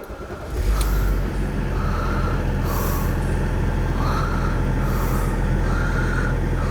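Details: Range Rover L322 TD6 with the BMW M57 diesel, a 2002–2006 model. A quick crank and the engine catches within a second, settling into a smooth, even low rumble. Clean, normal start.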